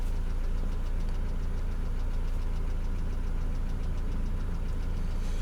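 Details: Mercedes Vito W638, post-facelift, M111 2.3L petrol, automatic; idle about 832 rpm, oil 55°C; faint fairly regular light tapping about two per second over the hum; engine knock at idle, cause unknown.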